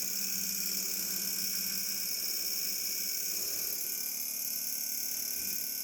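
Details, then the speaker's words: Wine cooler with plenty of ventilation around it: a steady, even hum with a strong whiny hiss on top and no change in speed; unusually loud running from the compressor, cause unclear. "okay I'm confirming the noise coming from our wine cooler I put the glass of water in the wine cooler earlier today to test the temperature there's plenty of ventilation around the wine cooler and you'll start walking away"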